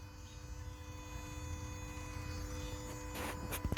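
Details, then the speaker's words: Scion iA / Yaris iA / Mazda 2 with a no-start issue, after fender replacement, ignition on with immobilizer and security lights out: low steady buzzing electrical hum with fixed tones from below the engine, source unknown; owner suspects grounding, starter or alternator. "I got a sound coming from somewhere over here I don't know where it's coming from"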